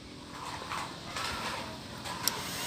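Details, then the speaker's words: MX (old model) motorcycle whose radiator fan won't turn on when hot, fan circuit jumpered: sharp relay click then steady soft whirr of the fan spinning up; relay and fan both working properly. "itu relay langsung Utara ya di sini ada bunyi tek seperti itu ya"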